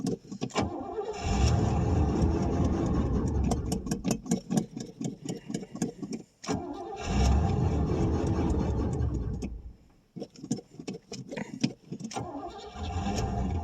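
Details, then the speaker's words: 1989 Pontiac Safari wagon, off the road 18 years after a deer hit, cold start with the gauge near a quarter: catches and surges unevenly, stumbling badly as if fuel-starved; owner suspects gummy carburetor, plugged main jets, stale gas or low fuel. "Okay, it kind of kind of will run. Now I say that. Yeah, she's just lacking fuel really bad."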